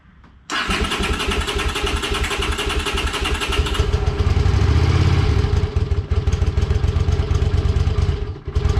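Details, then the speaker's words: 1982 Honda Silver Wing GL500 cold start on choke after intake manifold repair and carb cleaning: catches at once and settles into steady, even low thrum, revs rising briefly then holding; healthy start. "choke no choke what do you think no joke yeah let's hold on for a second let's choke it"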